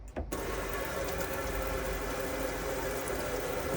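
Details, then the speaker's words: Elddis Autoquest 130 motorhome on Peugeot Boxer chassis, HDi turbo diesel, 5-speed manual: after pressurizing the water system and purging air from hot and cold sides, steady even flow from the tap, clear water, no coughing or spluttering, ready to light the boiler. "just got nice clear water coming through no coughing no spluttering"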